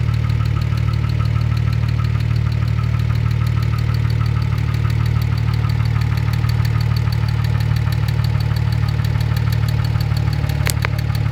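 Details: Engine at steady idle: deep drone with a light regular tick about three per second riding on top; unexplained noise, cause unknown.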